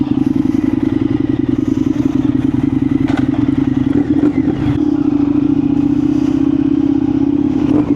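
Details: Indian FTR 1200 motorcycle with dead battery, jump-started with NOCO booster: catches after a few clattery turns, settles into steady, even lumpy idle, no knocks; normal start and idle.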